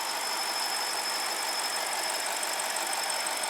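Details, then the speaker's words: 2006 BMW 750 N62, check engine light and rough running, idling: thin steady high whistle over even hiss; crankcase cannot reach 1.18 inHg vacuum, leak most likely a tear, causing drivability problems. "so so we are not uh we are not pulling enough vacuum because it's not sealing because there's a leak most likely a tear and then so our level is not as high and that too can create drivability problems"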